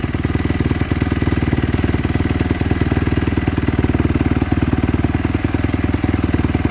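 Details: Kawasaki KX250F (stated as 2014 and 2017) after clutch replacement for fried clutches that stopped it moving in gear: steady, even four-stroke thumping at about three beats a second, no clatter or misses; healthy idle, fixed.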